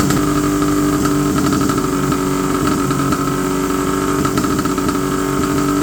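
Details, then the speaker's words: 1970 Polaris Mustang snowmobile two-stroke, first start after about 10 years: settles into a fast, steady buzzing idle with no dips, noticeably too high; high idle, to be turned down. "okay it runs idle little high I'm going to turn the idle down just a little bit"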